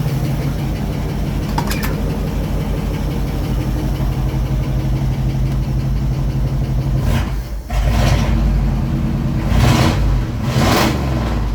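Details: 1967 Ford F100 truck with FE big-block V8, first start after carburetor rebuild (leaking accelerator pump valve fixed, fuel screws adjusted), choke off, still cold: smooth even idle, clean throttle blips settling quickly; no more rich smoke, normal idle and revving.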